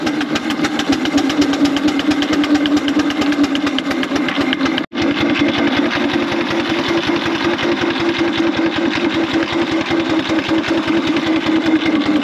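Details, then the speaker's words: 4-inch Foster steam traction engine after new boiler tubes, working in big wheel at about 55–60 psi; sharp, evenly spaced, crisp chuffs at a steady beat under load, healthy exhaust. "chuff's a bit better in Big Wheel as well"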